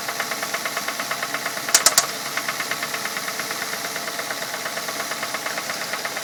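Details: 2006 Ford Fusion 4-cylinder, 80,000 miles, idling: steady, fast, light tick-knock felt at one spot on the engine; owner suspects valves or a slapping timing belt, unconfirmed.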